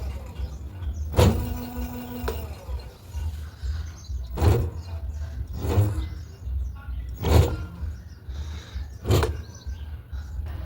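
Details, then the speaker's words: New Kiwo electric bicycle hub motor, three-phase: short, rough grinding/scraping bursts when starting off; motor running on only two phases, often controller-caused; loose phase wire. "Y el problema es que tiene es que se escucha medio raro, escuchen bien. Se escucha como que raspa cuando recién la arrancan, escuchen bien."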